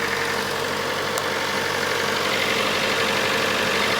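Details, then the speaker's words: Datsun 510 with twin SU carbs, started on a jump pack after fixing carbs that had leaked fuel out the top onto the hot exhaust: a steady, smooth, even idle with no stumbles. Normal idle. "Sounds very, very good."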